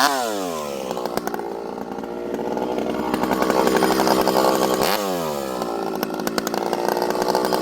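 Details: Rebuilt ported 85cc 064 with new piston, clutch, big transfers and pipe, fitted with a new carb, high jet about 1 turn, bucking hard, slightly frozen American elm: screams at high revs, holds speed with brief dips between cuts; pulls hard, runs strong.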